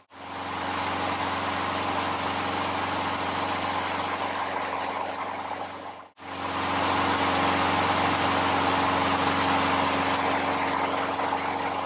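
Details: Older Craftsman 22-inch mower, Briggs & Stratton 6.75 Quantum L-head single-cylinder, after carburetor rebuild: steady, even governed speed with no surging, knocking or misses; healthy.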